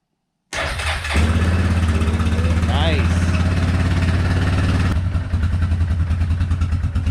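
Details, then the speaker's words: ATV starting after new battery installed, not started in a while: short crank, catches at once, settles into steady even putter with no misses; healthy start. "All right. So we're all set here. So you see how simple that is?"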